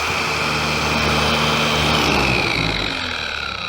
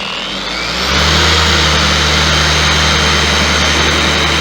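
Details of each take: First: Harbor Freight Bauer 56367 20 mm DA polisher, before backing-plate upgrade and regreasing, at fastest speed: fast motor whir with coarse shaking buzz; vibrates significantly even on speed one, worse at top speed. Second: Bauer 56367 DA polisher after fitting a Rupes 5-inch backing plate and Lucas lithium grease in the head: an even, steady whir under pressure at a higher speed setting, with no wobble or shudder. Runs smoothly, roughly 80–90% as smooth as a Rupes.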